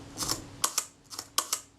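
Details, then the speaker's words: Kodak Retina II shutter being serviced, fired at 1/10 s: four crisp double clicks, each opening and closing about a tenth of a second apart; the timing sounds credible and normal. "it sounds credible 25th is slower or faster that sounds good"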